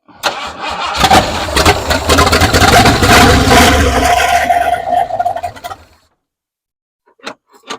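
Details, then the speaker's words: 1968 Ford F100 after sitting over 5 years, Holley carburetor, temporary boat fuel tank: steady cranking about two beats a second for five seconds never catches; the fuel pump does not seem to deliver fuel, crank no start. "Is it getting fuel? I don't think that pump's pumping anything."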